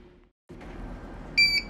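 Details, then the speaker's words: Birch Q3 receipt printer, lid closed tightly and paper loaded correctly, still beeping; shrill double beep over quiet room; error alert from faulty paper sensor. "as you can see it's still beeping it's closed very well tightly there's a paper in it at the right position by so beeping"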